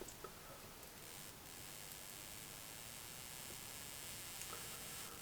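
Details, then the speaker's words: Miles Hivolt IT30 hipot insulation tester above 20 kV on the 32 kV range: steady hissing sizzle with scattered sharp ticks, corona discharge around the output connector as leakage current rises. "it quite a loud discharge now sounds to be coming they'll come around that connector somewhere"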